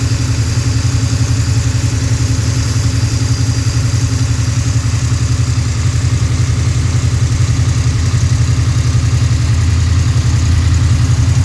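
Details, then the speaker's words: Freshly built Pontiac 428 V8, probably a 1969, for a 1966 GTO, tri-power, hydraulic roller lifters: steady quick idle during warm-up, even low rumble, light valvetrain whir, no knocks; normal fast idle. "Let it get a little bit of engine temp in here before we kick it off the high idle here."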